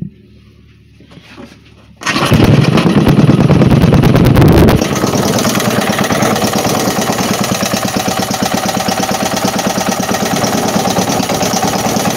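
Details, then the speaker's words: 3hp Briggs and Stratton engine after an oil change, timing not suspected: silent, then a pull and it catches, settling into a steady, even beat of about three firing pulses a second; normal running. "there she is he's running he's a fine running motor too"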